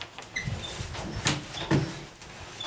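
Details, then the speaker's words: Condo interior door swinging with short high squeaks and creaks. The noise comes from dry hinge knuckles rubbing, not the door hitting the wood; grease is the fix. Door hinge squeak. "that that's because in between the knuckles somewhere it's it's doing that it's not hitting the wood or anything"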